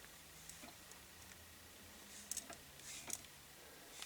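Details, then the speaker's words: KitchenAid mixer has power but won't work at any speed; owner suspects the motor, not the contacts. Faint scattered ticks and light clatter as the housing is shaken: something loose rattling inside the motor case, suspected as the problem, not confirmed. "there's something rattling around in there. Hear it rattling around? Yeah. Something rattling around in this case, this part here."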